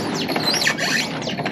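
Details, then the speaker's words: Kid's shaft-drive ATV: swinging the handlebars side to side gives repeated high rubbing squeaks from dry front-end steering joints; greasing and lubricating them made it quiet. "Oh, so now if we're up at the front end here, if I like move the handlebars back and forth, you can hear a lot of squeaking."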